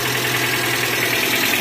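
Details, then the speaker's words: Suzuki APV (G15 engine) that had suddenly died, started after timing belt repair: key on, check-engine lamp lit, engine starts into a steady, even idle with a smooth low hum and no knocks or misses, running normally. "Kita kunci kontak on, lampunya nyala, cek engine, kita start engine. Oke, mesinnya nyala yo, mesin nyala normal."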